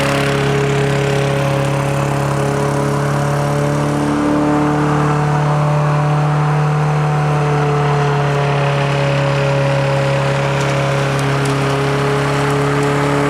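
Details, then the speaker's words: Toro Recycler lawn mower: even, buzzy drone held at one fast speed, runs well with no leaking bowl, but engine rpm seems a touch high and could come down. "sounds like the uh engine RPM could come down that is just cranking uh we can do that the bowl is not leaking the engine runs good"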